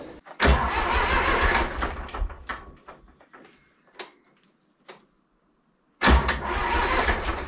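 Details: Zetor 4911 diesel tractor sitting in a shed since 2012, engine renovated before storage, core plug leaking at the back of the head: rough cranking catches briefly, fades, then a second crank brings a lumpy run. Cranking and starting.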